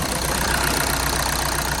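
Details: Mk6 VW Jetta 2.0 TDI common-rail diesel after valve cover gasket replacement: steady quick diesel clatter at even idle, no misses or knocks, no leaks; normal healthy idle.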